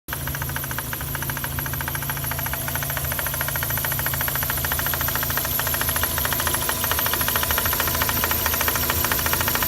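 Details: Mazda RX-8 rotary engine bay at idle: fast, even metallic clattering about two per second over a smooth idle, caused by excessive play in the SSV (secondary shutter valve) actuator rod; harmless but noisy.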